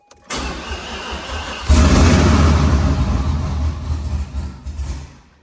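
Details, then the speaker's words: Car reassembled after bellhousing fluid leak: brief crank, then it catches and chugs unevenly, surging and sagging before dying; fuel pump not running because its ground was unconnected, oil pressure building, no leaks. "So that ground right there wasn't hooked up, and the fuel pump wasn't kicking on, but it was running. You heard it chugging along."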